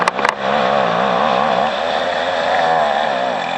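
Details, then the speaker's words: Two-stroke string trimmer cutting overgrown grass: buzz wavers at about four surges a second, then sags lower and stays down as grass wrapped around the trimmer head loads the engine. Engine bogging. "Hear how that bogged down? That's all that grass wrapped up around that trimmer head."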